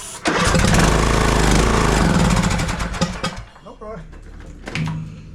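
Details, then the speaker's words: TroyBilt lawn tractor, long-sitting, wouldn't start, unchoked, throttle full, sprayed with carburetor cleaner into carburetor: catches with rough uneven beat for a few seconds, then falters and dies; fuel not getting through, carburetor needs cleaning. "give it a good biley full of that carburetor cleaner yep it just goes right back"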